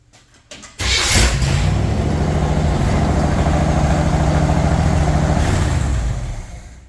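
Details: Wide-gauge Bombardier shop test after carburetor cleaning, with five gallons of fuel: a brief crank, fires right away on the key, then holds a steady, even low rumble at idle with no misses; both valve covers leak oil.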